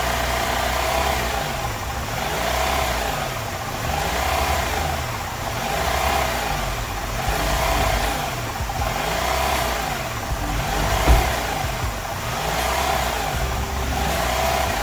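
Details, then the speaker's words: Honda Element after starter and AC compressor replacement, intake air leaks fixed with hose and clamp repairs: idle rises and falls about every two seconds, a steady hunting surge; the repairs did not fix it. "it was idling the Third the idle was kind of surging so let's see if that goes away"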